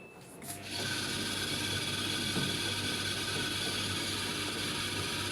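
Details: Samsung DV80TA020AX 8 kg dryer: a harsh, continuous rubbing squeak with a ratchety pulse once running, from a failing drive motor; fixed by replacing the motor.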